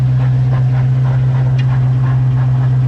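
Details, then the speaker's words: Mustang on stands, in gear with wheels spinning: loud steady low drone with a rhythmic knock about four times a second from the rear end; something moving inside the diff, owner suspects a loose pinion. Axle seal previously leaking. "I just made sure that I've tightened that pinion because that pinion might have come loose and now potentially what's moving up and down and making that noise"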